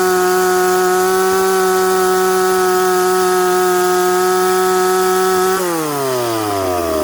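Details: McCulloch Pro Mac 850 chainsaw cutting dry cottonwood. A strong, steady high-pitched howl holds through the cut and revs up smoothly and quickly, then drops cleanly off throttle: normal running under load.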